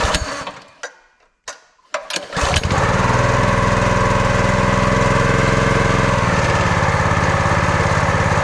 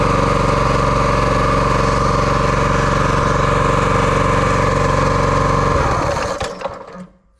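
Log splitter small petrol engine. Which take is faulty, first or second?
second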